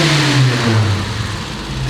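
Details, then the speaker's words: Volvo 145 with Weber carburettors, back on the ground after brake repair, started after a few sprays: strong, even rev that rises and settles cleanly with no coughing or misfire; carburettors sound in tune. "i love it and it doesn't cough at all"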